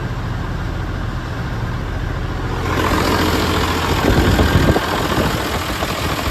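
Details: John Deere 7520 tractor with hard start and rough idle, clear test lines fitted to fuel lines: diesel struggles to catch with uneven rough firing before a ragged idle; air bubbles seen in the fuel supply.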